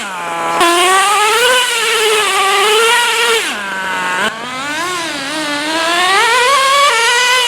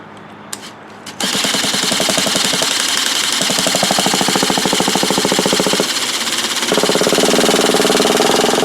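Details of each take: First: Traxxas T-Maxx 3.3 nitro engine running in cold, snowy weather after sitting 8+ years, carburetor richened slightly for the cold: screams up and down with crisp, steady revs and no misfire or stumble; running healthy. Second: Traxxas T-Maxx 3.3 nitro RC truck, first cold start attempt after 8+ years sitting in a shed, mounted on a box: rapid buzzing starter whir spins engine for seconds but never catches; EZ-Start battery too weak, needs recharging.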